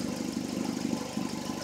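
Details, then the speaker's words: 2004 Hyundai Elantra idling after radiator replacement: a raspy, puffing exhaust note from an exhaust leak at a loose flex pipe, due to be fixed. "but it's running you can probably hear the exhaust leak that's getting fixed on saturday that's that flex pipe came lease um"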